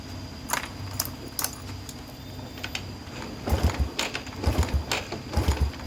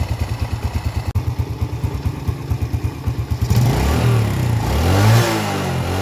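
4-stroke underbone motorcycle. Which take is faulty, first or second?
first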